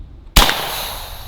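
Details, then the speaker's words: AEA Defender 2 airgun with two barrels loaded: one sharp crack with no trigger pull as the second cartridge fires on its own, firing nothing, then a fading rush of air as the reservoir fully empties; unintended discharge from double feed. "If you heard that sound, set off the second cartridge without pulling the trigger. It didn't fire anything, but it just released all the air."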